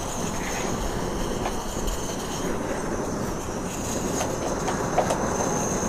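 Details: Trangia X2 multi-fuel burner pressurised with about 20 pumps; steady, even roaring hiss with no sputtering or pulsing, perfect blue flame, running clean and healthy.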